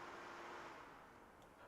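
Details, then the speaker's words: Ryzen 5900X PC on older PCI-slot motherboard, first power-on after BIOS attempt: soft fan whoosh spinning up and easing off within two seconds as CPU light blinks; normal boot fan ramp, then display came on. "do you hear the fan spin up and go down our CPU light is blinking it's never done that before"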